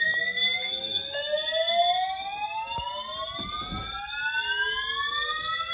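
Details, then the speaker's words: Building fire alarm sounding its whooping evacuation signal after waking the occupant in the morning; several overlapping tones sweep steadily upward again and again, likened to a duck; the occupant doubts a real fire. "Now, this one sounds like a [ __ ] autistic duck, bro. Jesus Christ. The hell?"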